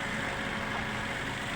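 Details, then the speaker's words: Toyota Rush idling smoothly after replacement of the leaking high-pressure power steering hose that caused heavy, noisy steering; pump was fine, no whine or groan, steering back to normal. "penggantian selang power steering yang mengalami kebocoran ya yaitu yang membuat pada saat diputar itu bunyi sudah selesai kita perbaiki"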